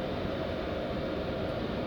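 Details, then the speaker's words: Diesel heater newly fitted in Renault Master MWB campervan, fuel line primed: soft steady whooshing roar from fan and burner, even with no ticking or pulsing; running healthy. "nice or not listen to that i can't hear it ticking neither"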